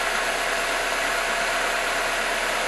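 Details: Car idling during charging system testing, battery at 12.7 V off and 14.2 V running: a steady, even idle with no knocks or squeals over a smooth running hum, and the alternator is working properly.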